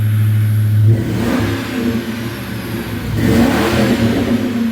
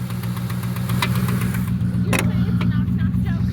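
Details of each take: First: 1996 Ford Mustang GT convertible, 4.6 2V automatic, after engine fix, stock H-pipe and Thrush chambered mufflers: climbs cleanly through several blips with a deep even exhaust note and no knocks or rattles; healthy. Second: 1996 Ford Mustang GT convertible, 4.6 2V, automatic, described as a bad motor: rough idle with dull uneven knocking about four times a second over a low rumble, revving up on its own; cause unknown.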